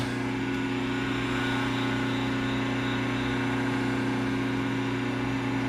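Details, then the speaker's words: Single-phase motor cut away to expose its internals, starter switch broken, hand-started: steady mains hum with a low strained drone and no rise in pitch; motor not reaching full speed, cause unclear. "For some reason, I'm not getting any high speed on here."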